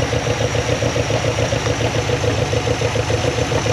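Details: 1974 Dodge W100 Power Wagon 4x4, just revived after sitting since 1983: even, low burbling idle, no knocks or ticks, smooth; exhaust leaky, good coolant flow, brakes not working. Normal healthy idle.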